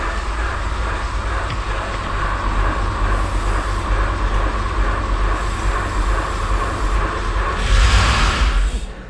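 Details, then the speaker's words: Porsche 928 4.7 L K-Jetronic V8, first start attempt after sitting 20 years, before the fuel tap was opened: starter churns about three turns a second without catching; no start, throttle plate found stuck open. "that's exciting okay the throttle is stuck down the throttle plate is it"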